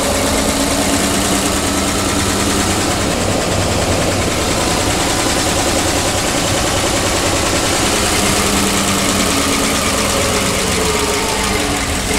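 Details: PAZ-672 bus engine running after valve clearance adjustment with valve covers refitted: loud, steady run with a constant mechanical whir and no distinct knock breaking through; the previous knock is gone, healthy idle.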